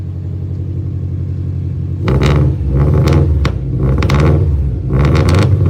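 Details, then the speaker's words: Cold Subaru Forester with a Cobb, just set to run as a manual. It idles around 1100 rpm, then three throttle blips that each rise ragged and uneven; the owner says the ECU is still learning and the engine is cold. The cause is unconfirmed. "That doesn't sound too good. That sounded It's just learning. So, yeah, it's cold."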